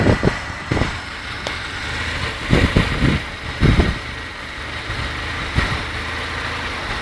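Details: 1994 Isuzu Trooper at idle: rough, uneven idle with irregular heavy thumps about every second over the engine rumble. Engine misfire at idle.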